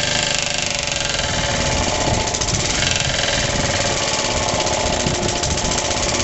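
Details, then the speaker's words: Suffolk engine rebuild, cold first rope start, choked with the carb primed, idle turned up, starter bolt missing. A loud, hard clattering knock that was never there before runs throughout; it's suspected to be from the clutch or shrouding, not confirmed. "it runs rest assur it never used to make that knocky noise so I don't know what the hell's going on it's definitely fully tight never used to make that noise"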